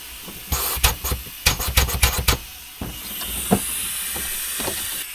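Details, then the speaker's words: 1980 Peterbilt 359 EXHD, Caterpillar 3408: clunks of handling, then a steady thin hiss of compressed air escaping from a major leak somewhere behind the dash; truck won't build air pressure, clutch seems not to work; exact source not yet found. "does not feel like the clutch works there a major air leak behind the dash here somewhere one of the"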